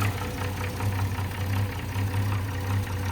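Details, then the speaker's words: 1970s Holden HZ ute revived after sitting 20 years, idling after timing adjustments; dull, loosely timed knock about once a second that doesn't rise with revs; owner unsure if lifter, doubts bottom end, balancer thought unlikely; engine knock at idle. "It's not a very good noise. It doesn't rev up with the car though, so I'm a bit lost if it's a lifter or a... I'm sure it's not a bottom end noise."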